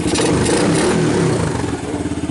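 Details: 1990 Kawasaki Bayou 220 ATV single-cylinder after cold start, carb replaced, good compression; thumps rise and settle cleanly with a throttle blip, then a steady even idle pulse. Normal engine revving.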